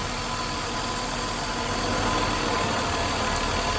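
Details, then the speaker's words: 2000 Mercury Sable at idle, in the shop for an alternator not charging: steady idle with a constant airy hiss; the vacuum leak is found at a split rubber hose hidden behind a harness, needing replacement. "So the vacuum leak has been found. Just like how this one's all busted up."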